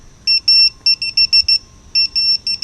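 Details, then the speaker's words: Vifly drone beacon anti-theft alarm after being moved: shrill two-tone beeps in quick, uneven bursts of roughly four to five a second, speeding up, then three beeps as it turns off. "it's trying to let you know that somebody has grabbed it by getting faster let's go ahead and turn it off three beeps continuously it's turned off so it's actually working really well it's very loud"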